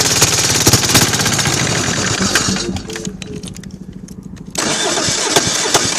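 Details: Kohler KD425-2 two-cylinder diesel in freezing cold with a broken exhaust: loud, uneven cranking and chugging that dies back, then picks up, never steady. Hard starting and rough running; the owner suspects cold fuel not flowing through the small filter.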